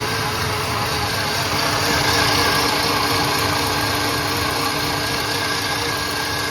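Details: Engine idling with a slightly uneven beat, about three or four pulses a second over a steady hum; idle misfire.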